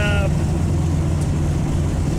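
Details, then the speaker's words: 1995 Honda Civic EJ coupe under steady driving load after its cheap eBay muffler was packed with fiberglass insulation: a deep, smooth exhaust drone. The raspy buzz it used to have around 4,000 RPM is gone, and the exhaust tone is normal. "Alright everyone, so I took it on a test drive and sounds pretty good. You know, it sounds nice and deep. I don't hear the rasp anymore."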